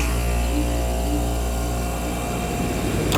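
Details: Ruud AC outdoor unit not cooling, which wouldn't start overnight after repeated attempts with water pouring out: steady low compressor hum and even fan drone settle in as it starts; cooling fault not audible.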